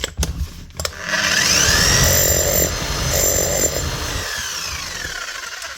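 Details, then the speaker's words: Bosch GSH 5 CE demolition hammer (2020 machine) tested after fitting a new set of brushes, speed control working: a few seconds of strong, even hammering with a steady motor note, the hammer mechanism working normally. "Just test the hammer on it here as well. Make sure that does work."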